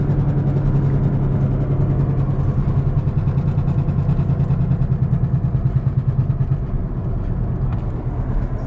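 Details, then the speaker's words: Infiniti G35 while driving: deep droning hum throbbing about three times a second from a worn wheel bearing, left-hand corner, noticed when turning; bearing and front hubs to be replaced. "and then you got to listen to this wheel bearing this wheel bearing's out of pocket"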